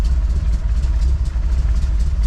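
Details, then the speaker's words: 454 big-block Chevy V8 in a Honda Civic, fully warm after about an hour and 20 minutes running including a test drive, holding under 190 degrees: deep, even low rumble at steady idle with no knocks or ticks; running healthy. "She's been running for, man, over an hour easily. A good probably hour and 20. And still maintaining our 190 less than."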